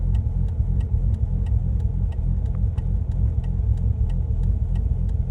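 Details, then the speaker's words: Bridgeported Mazda RX-8 at about 3,000 miles, misfiring at the roadside, accessories switched off: low idle with sharp ticks and an uneven, loping beat; rough idle, less bad than with the electrics on; cause unknown. "Cuz basically last time when when all the electrics were on, it couldn't idle properly. I mean, it's not as bad."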